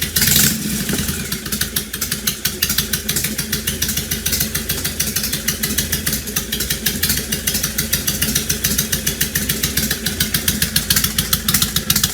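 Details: 2005 Honda VTX1300 V-twin, below operating temperature, half an exhaust pipe missing: uneven stumbling idle with loose clattery pulses around two per second that never settle; rough running suspected from vacuum leaks or fuel issue.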